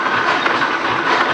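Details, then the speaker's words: Stationary engine with 5 ft flywheels, 10 by 15 in bore and stroke, about 5,300 lb, magneto ignition (originally hot tube), ported exhaust, running probably around 160 rpm after adjustment; loud steady even clatter, rhythmic exhaust opening and closing heard between the two exhaust pipes, runs beautifully. "I think if you go over between the 2 exhaust pipes and listen to it, you'll be able to hear the rhythmic opening, closing of the exhaust."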